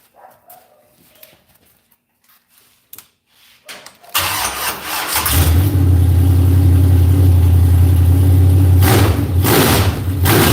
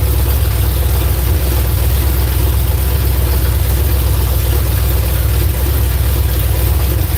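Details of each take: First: After timing adjustment, set at about 36: fires and settles into a strong, even, crisp lope with steady revs, no longer sounding bound up; timing now close to right. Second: V8 just started on a newly fitted ignition box: loud, deep, lumpy rumble that never picks up crisply and sounds sluggish, not free. Flames were seen from one side when run up; ignition timing is suspected to be off, not confirmed.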